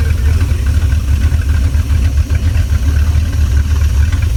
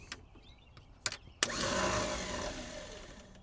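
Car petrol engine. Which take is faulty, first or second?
second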